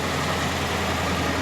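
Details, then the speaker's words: 2011 Dodge Charger R/T HEMI V8, left idling a few minutes to circulate coolant and check for leaks of disappearing coolant; steady even idle, smooth low rumble, no ticks or knocks; normal idle. "Okay. And we're just gonna let her run for a couple minutes. Make sure everything's circulating, percolating like it's supposed to."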